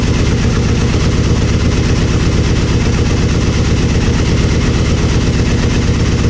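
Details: Aprilia Mille R V-twin idling after fuel pressure regulator and adjuster removal and cracked vacuum line repair: steady loping idle with deep regular pulse, no misses or surging; fuel pump whines until pressurized, then sounds fine, normal idle.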